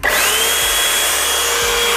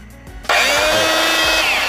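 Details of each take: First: Jaco EZ Hoover Turbo JC333 vacuum cleaner, 220–240 V, after bearing replacement for strong vibration and noise: motor holds a clean, steady high whine with strong suction, no rumble or rattle, then winds down evenly; normal running. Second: Jaco EZ Hoover Turbo JC333 vacuum cleaner (220–240 V, 50 Hz, 350 W) switches on with a harsh, very loud whine rising as the motor spins up, with heavy vibration and a burning smell; worn motor bearing suspected, not confirmed.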